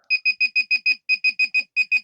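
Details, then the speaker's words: Budget 9-volt handheld pinpointer probe from AliExpress held near metal: rapid high-pitched beeps, about six a second, intensifying as it gets closer; detecting normally. "As it comes into contact with the metal, and you can see how it intensifies as you get closer."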